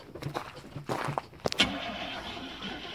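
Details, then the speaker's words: RV being readied for hunting, new battery: engine cranks a few short bursts, catches and settles into a steady idle with no smoke; normal start. "Still starts up a little too easy. And no smoke, man."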